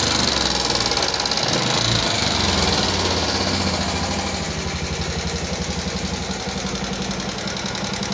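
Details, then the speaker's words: 2014 Yamaha Jupiter MX carburetor motorcycle at idle: a rough, quick metallic ticking from the top end, about four a second. Mechanic suspects worn cylinder-head parts such as the rocker arm, not confirmed. "Nah jadi masih kuat di daerah atas nih teman-teman, di bagian mesin atas. Kalau ini kan namanya block share, ini blockheadnya."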